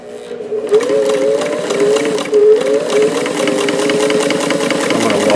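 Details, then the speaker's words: Davis vertical feed sewing machine fitted with a 15x1 needle, after modifications that fixed the above-bobbin tension problem; fast smooth whirring with even stitch ticking, no clunks or skips, perfect stitches top and bottom. "stitches are perfect and of course because I've managed to do a lot of surgery on this machine the above the bobbin tension is now no longer a problem so it gives perfect stitches on the top and the bottom"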